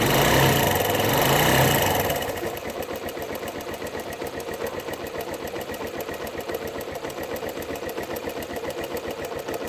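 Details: Suzuki Yes motorcycle, small single idling with a fast, even tick-like clatter around four per second over the exhaust beat; owner asks what the engine noise is, source unclear.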